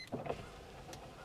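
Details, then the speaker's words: Mercedes E320 W210 with 315,000 miles, window switched from inside; brief motor whir with sharp clicks then faint drag as the regulator has wound itself up and is badly broken. Failing window regulator. "There it is. There's the sound. Can you hear that? Yeah, the window regulator has wound itself up and is busted. It is busted bad."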